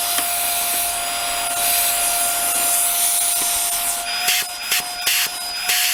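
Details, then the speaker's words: Hoover Air Steerable WindTunnel vacuum running in mild weather (+10°) with no suction: steady high whistle over loud airy hiss from the top, caused by debris plugging the hose. "i'm gonna today uh start it up and uh see where the plug is in the hose because it whistles off the top here"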